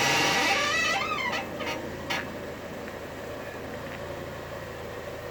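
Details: Acura TSX with lower ball joints and shocks already replaced makes high, creaky squeaks that bend in pitch as the steering wheel is turned, over a quiet idle. Owner suspects the struts need better grease; white lithium grease helped briefly. Cause unconfirmed.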